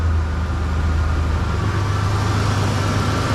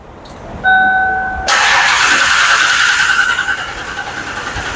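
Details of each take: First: 1990s Ford Explorer with tune-up done, idling steadily with no stumble, hunting or hiss after a smoke test found and fixed a large vacuum leak that had prevented starting without starting fluid; now starts normally every time. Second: 1992 Ford Explorer 4.0 V6, will not start without starting fluid: door chime, then the starter spins steadily for several seconds without catching; crank no start caused by a massive vacuum leak.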